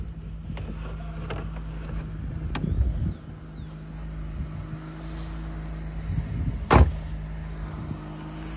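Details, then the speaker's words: 1986 Opel Ascona convertible (Luxus trim), recently imported from Germany, idling with the top down: quiet, even idle with a steady low hum and no misses or knocks; the engine runs smoothly and is healthy. "dá para ver como o motor é suave né"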